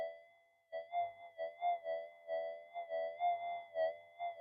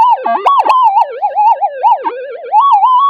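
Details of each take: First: Modified pulse induction gold detector over a target, detected out to about 10 cm: steady faint threshold with repeated warbling swells about three a second as the coil passes; clean, strong target signal. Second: Metal detector in a GPX-5000 vs Gold Monster test, gain at 20 with everything cranked up: continuous wavering tone swooping up and down in pitch with no target present; detector overloaded from excessive gain.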